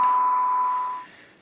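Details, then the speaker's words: Robyn SB-540D CB radio after main PCB replacement, AM receive test at 0.05 microvolts (−133 dBm), SINAD above 12: clean, steady tone near 1 kHz comes through clearly for about a second then fades; reception normal. "So fantastic reception on this thing. Really, really good."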